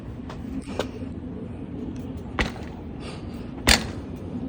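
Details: RockShox Pike fork on a 2020 Canyon Spectral AL, while riding: three sharp, isolated pops a second or more apart over faint trail noise; source not confirmed; subject of a warranty claim.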